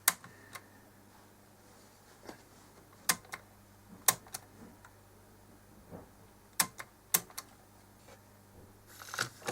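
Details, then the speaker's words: Tandberg TCD 310 three-motor cassette deck, mains voltage up full, after partly cleaning tarnished connector pins: irregular clicks and clacks as play is pressed, sometimes not running. Play engages intermittently; owner suspects dirty contacts. "no it did work there we go it's gone in this time try again i've got the mains voltage up full but there we go hey it's playing"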